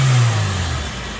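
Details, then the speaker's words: Honda EF Civic sedan after retiming, warming up: crisp blip dropping back smoothly with no stumble or hesitation, decent idle, no fuel smell, back up to 14.7; engine revs cleanly. "yeah sounded great no hesitations doing that it's cooling up she's still running a decent idle"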